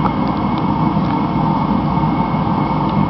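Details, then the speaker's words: Rebuilt Mr. Heater Contractor Series torpedo heater, about 790–824 degrees at four or five feet: steady, even roar at full fire with faint constant hiss, no sputter or surging; cone glowing red-hot, heater working properly. "so the cone is going nice and red-hot the heater appears to be working properly"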